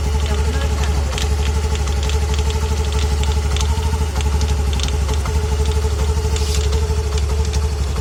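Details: Honda Activa 125 scooter, nearly new, on first start of the day or after a long break; steady low thump with a knock about four times a second, persisting since day 4 and after three services; cause not found.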